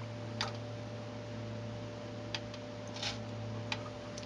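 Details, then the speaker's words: Tascam 112 cassette deck after restoration and service with modern lubricants, transport going instantly into play then pause: only faint soft clicks over a low steady hum, mechanism quiet and smooth. "i'm gonna go right into play instant no noise i'm gonna pause it"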